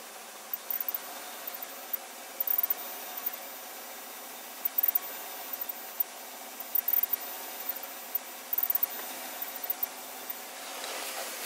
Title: 2014 GMC Sierra 1500 electronic chirping sounds when pushing accelerator